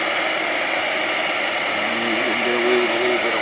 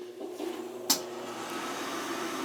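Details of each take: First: 20-year-old house, gas boiler power venter outside, about 9°F: a steady, even blower rush with no squeal or rattle heard right now; the reported rattling is absent, and the motor may just need some oil (suspected, not confirmed). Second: Field power venter after its motor bearings were oiled, previously squealing and running for over a day: small fan hums up to a steady run after a click with no squeal; the motor assembly will need replacing if squealing returns.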